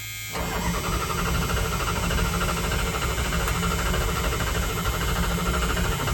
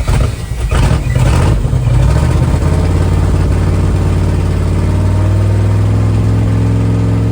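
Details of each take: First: 1978 Dodge Power Wagon 318 V8, automatic, former plow truck unstarted over a decade, battery on jumper clamps, carburetor primed, choke disconnected; steady cranking with no firing. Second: 1978 Dodge Adventurer Power Wagon, 318 V8, automatic, 4WD, first start in over a decade on a gravity-fed fuel tank with good oil pressure: strong, even rumble settling into a steady idle with no misses or knocks; running healthy.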